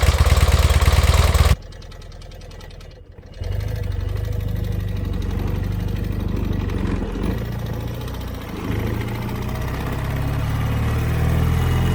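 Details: 1981 BMW R100RS with Krauser 4V head conversion and Bing carbs, starting after nearly a decade stored, fresh 93-octane fuel, new oil and brake fluid; short cranking, pause, then steady slightly uneven twin-cylinder idle.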